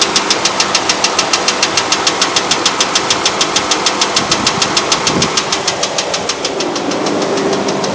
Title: Ticking noise